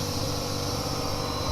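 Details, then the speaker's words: BM03 vacuum laminating machine started from the LCD panel button: steady, even hum with constant pitch, no knocks, rattles or surging; running normally. "So just press this one. Now it will start working. See? Now it's working."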